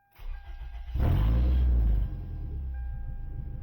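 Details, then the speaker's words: 2002 Toyota Camry 2.4L four-cylinder after timing chain tensioner replacement for chain rattle, exhaust cut off: engine cranks, catches and settles into a loud open-exhaust rumble with no chain rattle; timing chain now quiet, repair worked. "That timing chain is real quiet, so I think that worked. Again, I don't have an exhaust hooked up, so that's why it sounds like a high school kid's version of Fast and the Furious."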